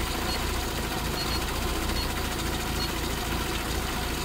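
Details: SPI Mini, petrol, engine warm, coolant 77, inlet air 34, coolant and inlet air sensors working properly, O2 sensor likely working too; smooth steady low rumble at constant speed, no hunting or misses; normal warm idle.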